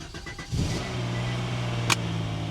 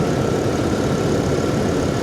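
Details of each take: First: Salvage-auction car at Copart, jump-started: fast cold idle with a light, busy top-end clatter; may quiet down as engines that sat often do; cause unconfirmed. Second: Salvage-auction truck at a Copart yard, AC compressor not running: steady, even low rumble at idle, nice and quiet, no knocks, ticks or misses; normal idle.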